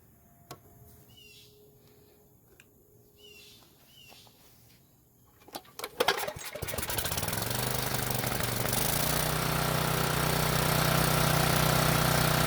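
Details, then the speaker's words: Briggs & Stratton generator after repairing no-start, test-run with a halogen work light as load: engine catches after a few pulls and settles into a steady even drone; running normally under load. "it's also a good idea to put some sort of a load on the generator so i'll use this halogen work light to do that"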